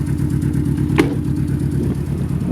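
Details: Car idling: uneven, lumpy idle with a pulsing beat that stumbles now and then; runs better after spark plug wires are adjusted; timing belt said to be in poor shape.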